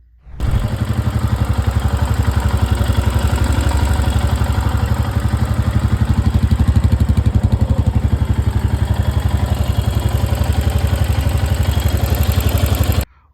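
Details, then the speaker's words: Royal Enfield Himalayan single-cylinder, 15–20 km after a service center service: rapid, regular clatter around 230 beats a minute over the idle thump; owner suspects a tappet issue, unconfirmed. "So I recently got my bike serviced from one of the Royal Infield service center and after riding for 15 to 20 km, I am facing this kind of weird noise from my engine."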